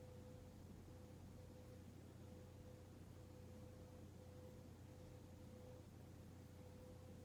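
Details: Hunter Mayfair 52-inch four-blade ceiling fan from 1988, barely used, running on medium: a smooth, even run with a soft low hum and no ticking or grinding. The bearings are silent and healthy.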